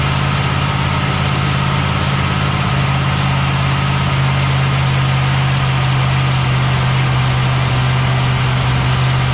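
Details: Cadillac ("Lil Debby") restarted after fuel-line hose clamps were tightened during diagnosis of a brand-new but failing fuel pump; steady, even low hum at one speed, no stumbling, ticking or surging. Normal idle.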